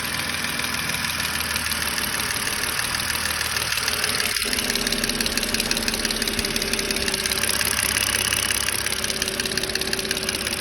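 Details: BMW 530i at idle with a sharp, uneven hard tick roughly once a second riding on top, a top-end tick whose cause is not yet identified.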